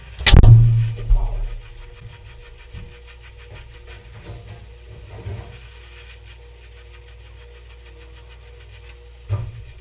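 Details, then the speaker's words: Refrigerator powered through a Bluetti Fridge Power unit, microphone placed inside the fridge: a thump at the start, then a low, steady, unbroken hum; the compressor is running normally. "Fridge is running. Just gonna stick the microphone in the fridge so that you can hear it's running."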